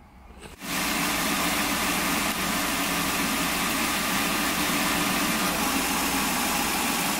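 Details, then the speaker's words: Wheelchair-lift van with drop floors, engine idling after ignition misfire repair, codes cleared, data stream checked: even steady idle, constant hiss over soft hum, no stumbles or misfires; normal idle. "All right, I'm gonna clear these codes, let it idle for a little while, and look at the data stream, and I think we should"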